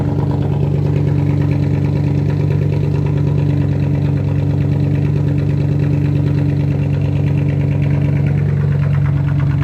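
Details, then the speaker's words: Supercharged car at idle after its rattling catalytic converter was replaced with a direct-fit unit, straight pipe from the cat back: a steady, deep idle with a loud, rough rasp, louder than before, and the supercharger whine can no longer be heard. "but I guess with the new catalytic converter, free flowing air is making it a little louder and it's a bit raspy to it."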